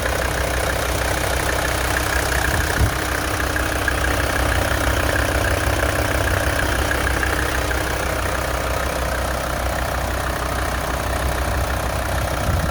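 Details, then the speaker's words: 1984 Mercedes-Benz 300TD turbo diesel after an engine flush, synthetic oil change and injector cleaner: even diesel clatter at idle, about three firm beats a second, with no misses or knocks. Normal, smooth idle. "how does she feel super smooth fe"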